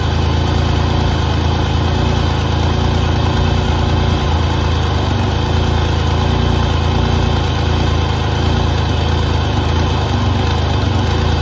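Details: 1988 Pontiac Firebird with a GM 2.8L V6 and 230,000 miles, first start after sitting about 13 years: a deep, even idle rumble with a steady beat and no knocks or rattles, so it idles normally.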